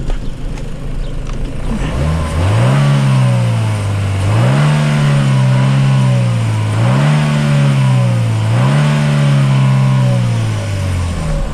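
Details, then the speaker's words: Chevy Cruze 1.4 turbo with codes P0299 underboost and radiator coolant temp implausible, drive-by-wire, revved under the hood: four clean rev blips rising and falling evenly, no hiss or whoosh of escaping air; no boost leak, ECT sensor suspected. "hear any air blowing out? No, I can't hear it. The hearing isn't that good anyway, Paul. I don't hear a leak."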